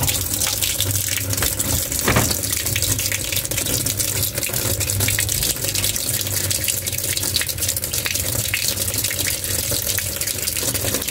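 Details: Single-tub automatic washing machine being tested for a drain that won't empty: a constant, steady gushing hiss of water pouring into the tub as it fills before the drain test; inlet filling normally.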